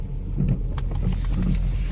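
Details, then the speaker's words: 2001 Chevrolet Optra with a broken stabilizer link: sharp irregular clicking from the front while turning a corner over low road and engine rumble; mechanic suspects the axle, strut or, most likely, the spring. "It might be an axle or it might be a strut or the spring, but I'm guessing it's the spring."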